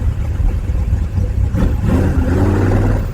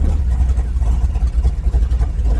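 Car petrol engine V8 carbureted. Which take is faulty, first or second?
first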